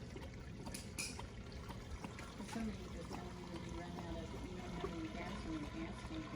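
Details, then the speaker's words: 1975 International 200 pickup found in a field, key on during a first attempt to run it. Soft irregular gurgling and bubbling under the fuel pump hum; owner suspects the tank it is pumping from is nearly empty. "okay turn it off i don't think there's much left in that tank it's like gurgling and bubbling"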